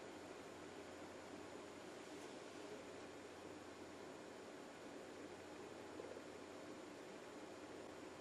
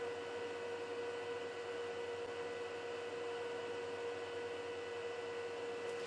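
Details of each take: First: Juniper EX2200 switch booting after fan mod with two new quieter fans installed: only a faint, even hiss with no whine, buzz or rattle; fans run quietly. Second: Juniper EX2200 switch, stock fans just after booting, measured about 50 dB in front: a steady, loud airy whir with a fixed mid-pitched tone; fans too loud, to be swapped for Noctua fans.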